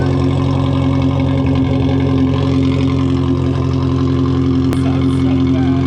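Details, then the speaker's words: Cammed Miata pulled from a field, first start after sitting, smoke and burning smell from tailpipe: lumpy, loping idle about four beats a second over engine drone; owners suspect it's running on only about two cylinders. Rough idle, unconfirmed cause. "I think he's only running off of like two cylinders right now yeah it sounds like sound like the idle is really weird"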